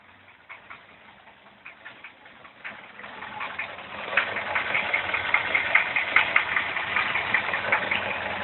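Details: Engine at idle after timing chain tensioned and valves adjusted: steady sharp knocking about two to three per second, loud over engine; owner suspects stretched chain despite tensioner extender.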